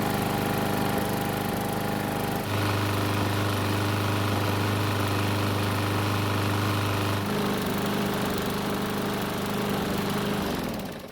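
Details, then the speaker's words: Used Bolens mower, fixed after a no-start and refueled with fresh gas, running several minutes until hot: steady, even drone with one pitch shift and no misses; starts easily hot or cold, though owner says it could run smoother. "It's been running for several minutes, which is plenty of time to get the engine good and hot."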